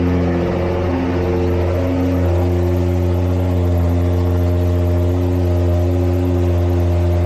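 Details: Nissan GT-R R35 VR38DETT V6 after valve cover gasket replacement, broken bolt extraction and oil/filter change; smooth deep steady idle hum, no ticks, knocks or wavering; no oil leaks after running; normal idle.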